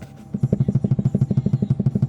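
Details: Suzuki SX4 rear knock that seemed like suspension but is the soft body shell flexing: quick regular low thuds about eight per second; knock stops when the panel is clamped; body panel knock.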